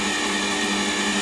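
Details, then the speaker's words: Lathe power feed at about 450 rpm while rough-boring a Stuart S50 model engine cylinder: loud steady high whine of constant pitch, no knocks; noisy feed motor due to be replaced with a NEMA 23 motor. "let's say i don't know 450 rpm wait for the noise and that noise you can hear is the power feed"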